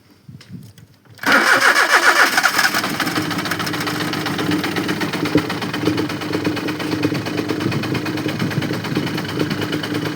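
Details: Car 800 with 5-speed gearbox that won't start: the starter cranks, then the engine catches unevenly with ragged, stumbling firing that never settles into a steady idle. A misfiring, reluctant start.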